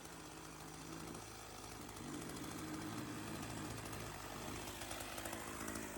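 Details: Sachs-Dolmar 100 chainsaw after carb rebuild and retune for a no-idle problem (suspected air leak): small two-stroke buzzes and picks up cleanly with no stumbling or hunting, running right.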